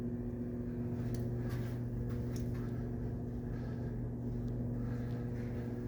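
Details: Hotel light fixtures throughout a Hampton Inn: constant low electrical drone with a steady buzzing overtone that never changes, heard through halls and rooms; electrical hum from the lighting, which the front desk calls standard.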